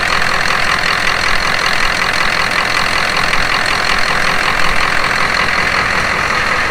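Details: Humvee with swapped-in later-generation 6.5L turbo diesel and 4L80e 4-speed transmission, first real start after priming the fuel pump and filter and bleeding an injector line; steady, even diesel clatter at idle, running smoothly.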